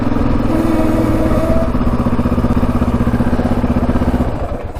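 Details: Stock Yamaha Raptor 700 special edition single on its first ride: it thumps along evenly at about four beats a second with a steady exhaust note and no top-end rattle, no leaks and no overheating; healthy running.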